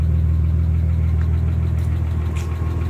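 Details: Nissan 300ZX Twin Turbo idling: steady idle with a recurring uneven dip in the beat, about four per second; cylinder 1 has low compression, possibly needing new piston rings or rings just stuck.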